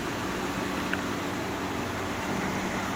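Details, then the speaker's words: GE Profile air conditioner, curb find, on cool, fan on high: only smooth fan rush, no compressor hum or click-on; compressor not starting. "Yeah. No compressor. Still has a problem."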